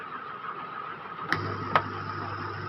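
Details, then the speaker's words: Roland SP-606 sampler, keypad not working, display light fault, internal wiring faulty: steady mid-pitched buzz and low hum under constant hiss on all output jacks, two clicks; audio output hum, cause not yet confirmed. "देखो हमिंग आ रही है ना, एक सरसराहट का साउंड आ रहा है, एक ये बजिंग साउंड"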